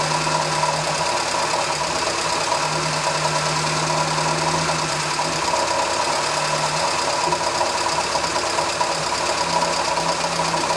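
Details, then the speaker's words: Morris Minor after restoration, carburettor mixture being set after timing, idle aimed near 1000 rpm: steady fast, slightly lumpy idle; lifting the piston plunger shows it running too lean, worn carburettor needing a rebuild. "If you lift the plunger up and it stalls, it's too lean. And mine is running too lean. That's very annoying. That's an issue."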